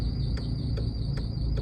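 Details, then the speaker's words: VW Mk5 Rabbit 2.5L 5-cylinder (07K) while driving: thin high squeal and chirp about every 0.4 s under the drive rumble, serpentine belt slipping on a failed tensioner pulley; fixed by replacing tensioner pulley and belt. "When I pulled over to check, I saw this. Whereas it should be looking like this. Which explains why I was getting all this squeaking noise."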